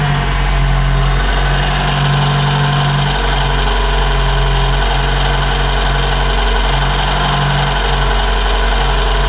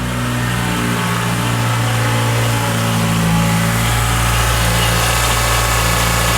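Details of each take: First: 2012 Toyota Camry 2AR-FE, warm idle: faint high screech over the engine note centred at the timing chain area and getting louder, caused by a broken upper timing chain guide; a separate cold-start rattle also exists. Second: 2012 Toyota Camry 2AR-FE, not yet warm, idling after replacement of a failing upper timing chain guide that had caused grinding: a steady, even rumble with no grinding or chain rattle. It sounds healthy.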